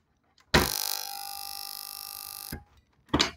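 Loud harsh buzz for about two seconds after switch-on; the relay chatters on rippling DC from a diode with no smoothing capacitor. Cause suspected, not confirmed.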